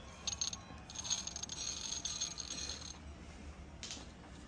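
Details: 2000 Toyota Land Cruiser 100 Series tensioner pulley removed and spun by hand: dry gritty rattle and scrape from a rough bearing, cause of cold-start chirping in freezing weather.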